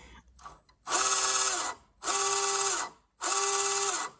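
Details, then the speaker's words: Tamiya 1/14 RC Scania T-cab TriDrive wrecker on the bench, prop disconnected from rear axles: three short runs, each a loud high whine with gritty buzz from the motor gearbox; noisy gearbox suspected, still to be investigated. "so it sounds like it's a noisy gearbox so I'll need to investigate that"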